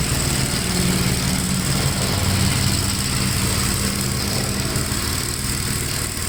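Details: 1957 Gravely tractor mowing wet grass: a low, steady single-cylinder thump pulls evenly under the cutting load without bogging. It has plenty of power to spare and sounds healthy; the remote PTO lever possibly disengaged.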